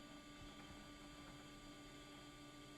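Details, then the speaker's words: AUTOONE LED headlight bulbs fitted in housings on a bullnose Ford truck: faint steady whir with a high tone over a low hum from the built-in cooling fans in both headlights, running normally. "that's the noise I was hearing and thought something was coming down the rail road it was both of the cooling fans in these new headlights"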